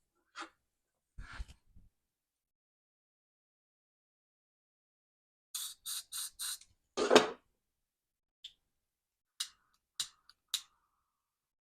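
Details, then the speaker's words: Butane torch lighter, burners just sprayed with butane to clear a suspected clog, warming up: sharp dry ticks in short bursts then scattered single clicks; abnormal ticking and sputtering. "God dang what the heck listen to this that can't be good"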